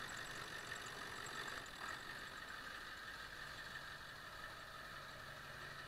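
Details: 1999 Ford F-350 Powerstroke diesel, cold start just after ICP sensor replacement; steady idle with a faint uneven stumble and clatter that never settles. The idle hiccup persists after the sensor swap, cause unconfirmed. Rough idle.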